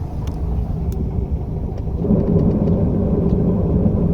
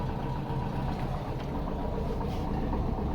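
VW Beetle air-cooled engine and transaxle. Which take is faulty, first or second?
first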